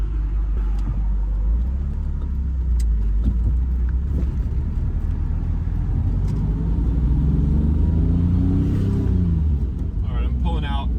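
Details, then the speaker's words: 1990 BMW E34 M5 (S38 inline-six) after fixing a low-rpm misfire, oil not fully warm: deep steady exhaust rumble pulling away in first gear with no throttle, no stumble or hesitation. "out pulling out in first gear without even having to give a gas so that hesitation is gone"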